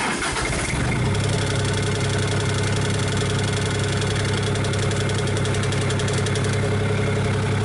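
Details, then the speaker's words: Komatsu PC40 excavator after a Yanmar-to-Cummins engine swap, warm: catches after a brief crank and settles into a steady, even low diesel beat, about four pulses a second, with 58 psi oil pressure at idle; healthy. "It's warmed up right now. We'll start it up and see what kind of oil pressure it's got. And now it's not idling real low, but I mean, it's still at idle."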